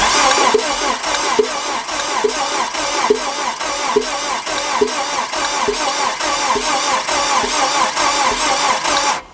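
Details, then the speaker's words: Neglected Nissan Frontier, timing chain tight, cam lobes unscarred: uneven galloping idle about once a second; owner suspects one cylinder down on compression, not yet confirmed. "Like, you know, it has that gallop in it, so I think one of them's down."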